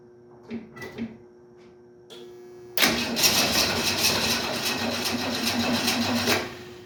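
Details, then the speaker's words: 1968 Ford Mustang: engine catches and runs ragged about three seconds, then cuts out abruptly; owner suspects no gas in the lines and is unsure whether the fuel pump is pumping. "Got no gas in the lines, I think is the problem here."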